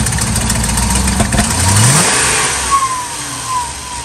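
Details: 2000 Ford F250 5.4 2V gasoline V8 on a freezing cold start after sitting a few days: the rev rises and falls unevenly with a ragged beat when blipped; owner suspects IAC and throttle body, fine once warm.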